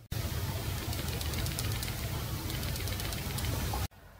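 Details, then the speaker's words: Shaking a fake iPhone (a fake 6S is mentioned) gives quick, irregular light clicks over a handling rumble. The cheap, loose buttons are rattling, unlike the solid real one. "the buttons in the fake one the buttons are very shaky and loose you can feel it they have very low quality the sliding switch is getting stuck and if you shake the iPhone you can even hear the buttons rattle"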